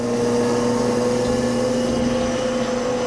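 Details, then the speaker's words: 1991 Okamoto PRG-6 rotary surface grinder with 23.6" chuck and 10 HP wheel motor: the chuck rpm is heard rising as the wheel moves toward the centre and slowing as it backs out; steady, healthy hum, normal by design. "If I open this up a little bit now so we go more toward the center, you can hear the difference in the RPM."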